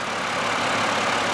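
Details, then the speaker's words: 2006 Ford 500 that stalled on the highway, fuel rail pressure sensor code; replacing the sensor didn't help, new fuel filter fixed it: now smooth, even idle with steady hiss, no misses or surging; running normally. "so here's our ford 500 it's a 2006 as you can hear it's running perfectly fine now but because of the dirty fuel filter the car stop was going up the highway stuttered and then just start"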